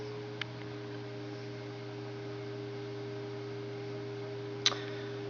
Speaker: and here there's something going on with the motor because it usually doesn't make this noise so you hear it